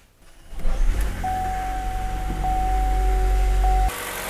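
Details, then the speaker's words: Chevy Volt engine at operating temperature after replacing the valve cover with built-in PCV control valve (bad PCV caused noise) and spark plugs; cranks, catches quickly, steady even idle with no ticking or hissing: normal idle. "now i've run this engine and let it get up to operating temperature and you can clearly hear the change in it after replacing the valve cover"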